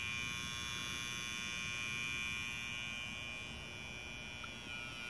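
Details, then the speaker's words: Old Märklin 3090 locomotive at higher speed: stalls with a thin, steady electrical buzz and no motor run-up; fault in the reverse unit relay, its spring (7194) too weak. "but when you try to go faster why is this suddenly stop make this noise"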